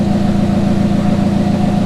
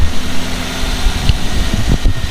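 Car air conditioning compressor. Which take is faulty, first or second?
second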